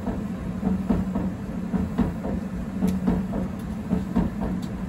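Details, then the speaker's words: 7 kg Candy heat pump tumble dryer whose drum track had been patched with chemical metal. A steady low hum with a repeating soft thump about once a second as the drum's dents pass over the two rollers. Drum rumble from a dented drum track. "because there's two wheels and two dents and they're in the same places there's actually four bumps but the middle one's coinciding is what I think's happening"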